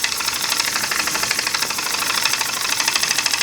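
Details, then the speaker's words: Homemade single-acting oscillating steam engine on compressed air at 5 PSI, started first try: quick evenly spaced airy chuffs about three per second, steady beat; runs smoothly. "I'm turning the air on right now it's on and there it is the pressure is uh 5 PSI and you see it's started first"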